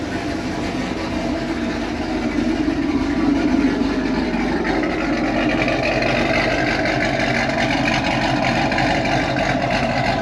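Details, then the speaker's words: Z28 Camaro with stock LS7 V8 plus injectors, E85 and long-tube headers, before cam and cylinder head swap. Deep even rumble with smooth rev blip and steady return, no knocks or ticks; healthy. "show you guys this thing sounds like right now it is a completely stock ls7"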